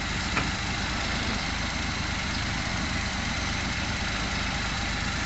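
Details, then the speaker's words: Suzuki Scrum F6A carbureted engine after carburetor work and throttle valve opening set to about 15–20 degrees (was hard starting, high rpm, hesitation): steady, relaxed idle with even low rumble, no misses, hunting or surging; normal idle. "ngayon po mga kaal narinig naman natin na ang under ng makina ngayon ay relax na y relax na"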